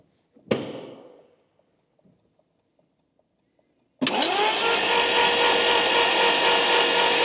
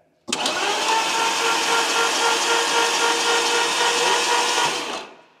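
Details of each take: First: Abandoned Lamborghini Gallardo not started in a long time, fuel pressure confirmed; starter turns engine evenly about four pulses a second but it never fires; crank no start, known immobilizer fault. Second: Lamborghini Gallardo, long unused and apparently flooded, cranked on the starter with spark plugs out to prime oil: smooth, even whirr for about five seconds with no firing or compression beat. Oil pressure gauge moves slightly, which is considered good.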